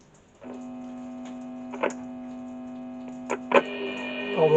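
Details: American Philips valve radio with a mains transformer and 1.4V valves, powered through a step-down adapter: at switch-on a steady low hum with a buzzy edge comes on and holds under faint clicks. Mains hum.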